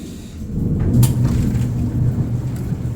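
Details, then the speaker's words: Fairly new outdoor dryer that hummed but drum would not spin, after refitting belt around drum and front panel: low steady drum rumble with one brief knock near start; drum now spinning, running normally. "It's running. I can see it moving, so that means the drum is moving."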